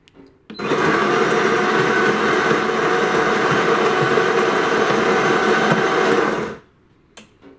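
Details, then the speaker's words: De'Longhi ECAM coffee machine after cleaning the brew group that had jammed and cracked: steady grinding whir about six seconds, even pitch, no cracking or clunking, then stops; brewing cycle runs normally again. "also hast jetzt gesehen das ist eigentlich eine schnelle geschichte ist dafür dass er eben dieses problem kurzzeitig hat einfach die brücke bereinigen schon geht es wieder vorwärts"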